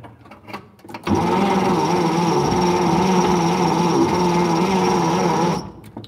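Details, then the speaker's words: 1950 Chevrolet 3600 pickup with Stovebolt six, pulled from the woods after decades sitting. It gives an even starter whir for about four seconds with no firing pulses: cranks but won't start, and the ignition coil is suspected dead. "looks to me like our the coil may be dead"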